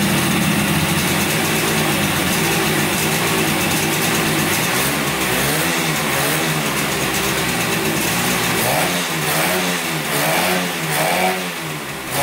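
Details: 1971 Yamaha CS200 twin two-stroke, sat over 17 years, recently revived: uneven, lumpy idle, revs thin and stumbling as throttle rises; owner suspects only one cylinder firing, one not sparking; later spark found, left cylinder 125 psi compression.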